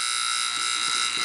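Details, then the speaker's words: Sanyo VCR 7200 Beta HiFi being repaired for no power: after a zener diode was moved, a constant, harsh fixed-pitch electrical buzz with no mechanical rhythm, possibly from the power transformer; unusual noise, unit unplugged. "So when I moved the Zinger diode, we had a noise. That is unusual."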